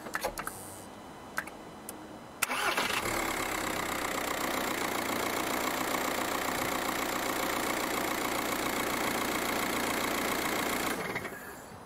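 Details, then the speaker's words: 2007 VW Golf Mk5 1.9 TDI after a starter motor change, fitted for a loud thump on hot restart. Quick crank, clean catch with no thump, then steady even diesel idle clatter. The start is now normal, though one mount looks slightly worn. "that is starting much much better than it was so actually that could be the solution to that noise that problem"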